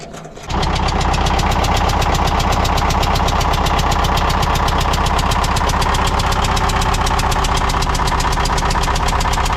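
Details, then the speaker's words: Military fuel-trailer pump diesel, fitting removed from a hole: hard, steady chuffing puff about four per second over loud diesel clatter as it tries to fire; compression blowing out the open glow plug port. "something's blowing something's blown out the side of that right there it was trying to fire"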